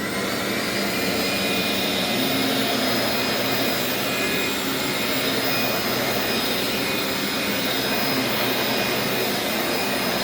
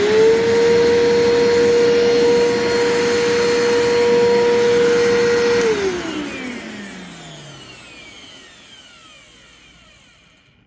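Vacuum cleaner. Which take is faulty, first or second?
second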